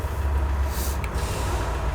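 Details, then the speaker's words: VW Amarok diesel at idle, clutch pedal released, after repair of a clutch-side noise suspected to come from the dual-mass flywheel; a steady low idle with a brief hiss and no rattle from the bellhousing, where before it made noise at idle. "tu pode vir agora ela tá na leão e ela não tem mais ruído antes na lenta sem pé na embreagem ela fazer ruído"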